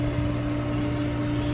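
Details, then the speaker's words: Hayward Universal H-Series H350 (350k BTU) natural-gas pool heater, repaired by replacing display board and bezel, water circulating at 73–74°F: inducer motor starts, steady low electric hum, no rattle or scrape, before ignition. "The first thing we're going to hear is the inducer motor kick on. That sucks the gas, or the flame through the heat, the combustion chamber down below, through the heat exchanger and out the top of"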